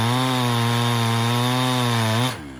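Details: Chinese-made Husqvarna 372XP kit chainsaw with carburettor set richer just before: clean steady high-pitched scream near full revs holds through the cut, then falls away as load comes off; saw sounds healthy, hitting the power band.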